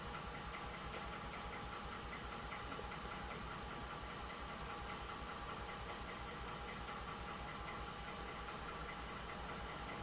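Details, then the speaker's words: Ford F150 5.0 Coyote V8, about 120,000 miles, new coil pack and spark plug fitted: uneven loping idle with recurring stumble; cylinder six still misfires with its injector disabled, so injector suspected; engine misfire at idle. "so as you can see number six is still misfiring so I disabled the injector and it still has misfire there's no change so I think we need an injector"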